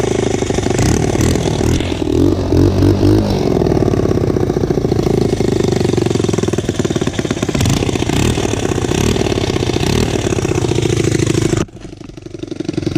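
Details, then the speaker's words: Motorcycle single, cold start on choke after exhaust pipe bolted back on: sharp puffing and chuffing with each firing as it revs; exhaust still leaking, not sealing where the pipe meets the cylinder head. "like an exhaust leak there is still an exhaust light guys"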